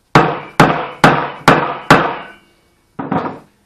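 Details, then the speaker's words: Fork seal being driven into the fork tube: five sharp hammer blows ringing hollow, then a softer double tap. The seal is not yet seated; once seated, the hollow sound changes to a thud. "as you're driving this down you can hear it it kind of when it stops it goes from a sort of a hollow sound to a thud when you hit it"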